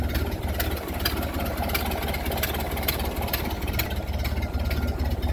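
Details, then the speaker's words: Ford Model A with newly installed engine, 9,000 miles, idling with choke in: sharp tick about twice a second over a lumpy idle; owner unsure whether it is an exhaust leak or a rod bearing, suspects an exhaust leak. "but i think i got an exhaust leak is that a rod bearing or an exhaust leak but i think it's coming out of right here"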